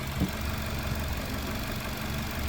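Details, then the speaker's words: Toyota Yaris idling with uneven beat and occasional stumbles; scanner shows multiple misfire with cylinders 2 and 4, 1 and 4 not working, plus camshaft sensor actuator circuit code. "So I know about the misfiring because I can hear that the briefing is not consistent, right?"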